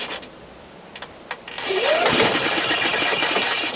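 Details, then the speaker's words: 2016 Yamaha petrol golf cart in service mode, accelerator pressed: a few slow, sluggish cranking beats before the engine catches and runs; intermittent slow starting, battery to be tested with multimeter at rest and under load. "now you notice how slow that is to start"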